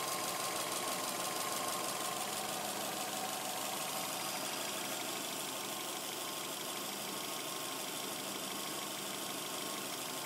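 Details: 2007 Subaru Legacy Spec.B at idle: fast, fairly regular light clatter about three times a second over a steady idle; source of the clattering noise not yet found.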